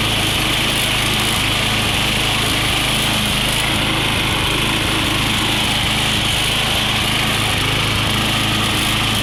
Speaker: runs good, but she got some smoke to her. Sound like a little bit of rod knock to me, but it'd be good to use until she goes.